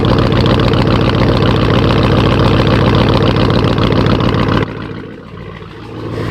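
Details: Cadillac Escalade V8 idling with a light, steady tick about three or four times a second, an exhaust tick from broken manifold bolts at the back; the motor is otherwise described as healthy.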